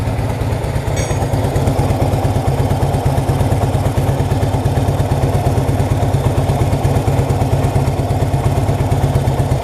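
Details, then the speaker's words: 1966 Honda Dream, first start for a test ride after wiring rebuild, engine adjustments and repaint, rainy day; even, steady putter at idle around two beats a second with no knocks or misses; normal idle. "all right here we go 1966 on the green up and running"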